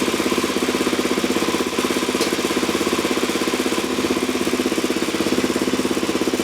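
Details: 2004 Suzuki DRZ400S idling with open exhaust after pilot jet raised 27.5 to 32.5 and fuel screw 1.5 turns out; loud irregular exhaust backfire pops persist, lean condition not fixed, carb spray showed no air leak, cause unclear.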